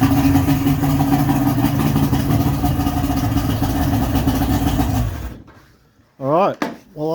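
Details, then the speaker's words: 55 hp Johnson two-stroke outboard after teardown; it started much better but buzzes at an uneven, wavering idle before cutting out; idle still rough, and owner plans to adjust the carbs further. "would say that sounds a lot better we've got more of that blah sort of sound going on i think it's i'm not going to say it's fixed but play around with the carbs a bit we'll see if we can get it to idle better"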